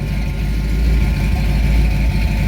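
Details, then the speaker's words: 1979 Chevy C10 with replacement roller-cam 350 small-block V8 after engine swap, in drive: deep, steady V8 burble at idle through the exhaust, even low rumble, no knocks or misses; normal healthy idle. "That don't sound bad."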